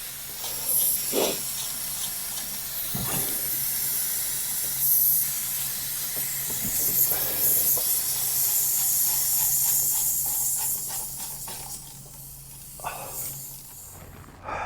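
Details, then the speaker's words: 45-year-old 2.8L Vauxhall Royale coupé with rebuilt engine, running hot: a constant high hiss that rises and falls slightly as the top hose blows out. Owner is unsure whether it's combustion-gas pressure, heat or just the clamp; the temperature sensor is unreliable. "Yeah, I think it's pressurizing. [Music] [Music] blowing out that top hose."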